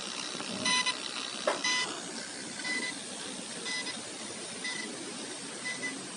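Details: Asus ROG GL703GE-GC038T laptop with coolers off, HDD disconnected (SSD only) and recording volume raised about 10x: a faint high-pitched whistle with short chirps over a quiet hiss, choke coil whine.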